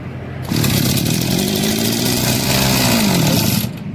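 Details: Two-stroke agricultural power sprayer engine after fixing a starting problem by replacing the oil seal and tightening the recoil starter, primed with a little petrol: fires within a second, steady buzzing rasp with slight rev wander, shuts off cleanly.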